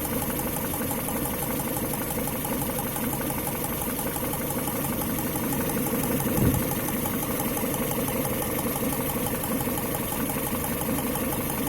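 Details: Engine with fine rapid ticking under an uneven idle, steady in rate throughout; knock of unclear origin.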